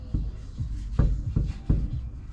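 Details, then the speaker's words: Lexus IS300 at 300k, never replaced rear knuckle spherical bushing: four dull low thuds as the suspension is rocked by hand, the knuckle moving while the lower arm stays still; worn, damaged rear knuckle spherical bushing needing replacement. "watch you hear that movement that is that spherical bushing down here"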